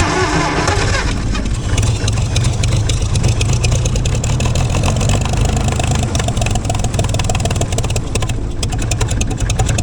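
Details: Gleaner combine engine, rebuilt carb, run briefly with no antifreeze after long sitting. Loud, lumpy idle with an uneven beat that blows a mess out the exhaust, possibly a bird or rodent nest; rough running.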